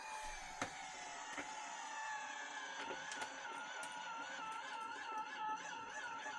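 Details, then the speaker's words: Battery-powered pill crusher with iffy old batteries, crushing one Tylenol: a thin, quiet motor whine wavers and sags as the pill is crushed, the motor dogging under load, and it would dog down more with 3–4 pills. "See, it's kind of dogging there. One pill at a time, it's not bad. We usually crush about 3 or 4 at a time, so it will dog down more the more load you got."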